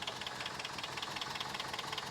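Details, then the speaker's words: 1993 Toyota pickup sitting 10+ years, running after refueling and battery charge: barely catches, runs rough with fast uneven ticking chatter over thin idle; misfiring rough running, owner attributes it to a blown head gasket. "that probably explains why it's running real rough too"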